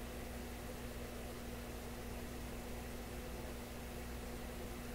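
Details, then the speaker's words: Florida AM/FM/SW tube radio warming up after an open resistor was replaced in the audio preamp tube plate circuit: a steady low mains hum under faint hiss. The hum later popped and receded; cause unknown. "Oh, very, very distinct hum. Phooey. What's that?"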